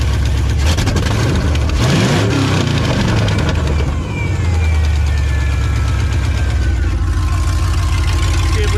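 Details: Engine cranks briefly after refitting the fuel pump and repairing a wire and plug suspected of causing the no-start, likely flooded with raw fuel, then catches and settles into a steady low rumble with music over it; it starts and keeps running.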